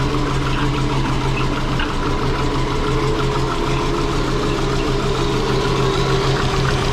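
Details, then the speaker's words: Twin-turbo Subaru Forester running. Steady run with a low drone and an uneven pulse, no clear knock; pressure dropped off when revved, so the pump cannot hold pressure. "all right so it seemed to run the same as before but we do know how to set the base now it did drop off a bit you may have seen that when i wrapped it up a bit so obviously the pump isn't and can't hold the pressure"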